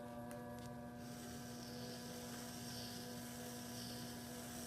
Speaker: once I hear it kind of grinding on the bottom then I've got my first part of the trim